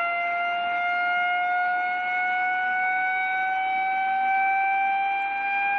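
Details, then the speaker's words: Reverse joule thief, 2N3055 NPN silicon transistor, knife-shorted to start: steady clear tone near 700 Hz with overtones rising slowly over six seconds as supply voltage falls; normal. "it's quite amazing to listen to this because the frequency starts high and then uh well starts low and goes higher and higher"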